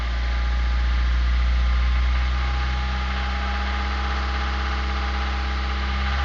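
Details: Suzuki Grand Vitara idling with a steady, regular knock about four times a second over a low hum; worn engine mounts led to a holed oil pan and oil starvation, and teardown showed spun connecting-rod bearings; rod knock.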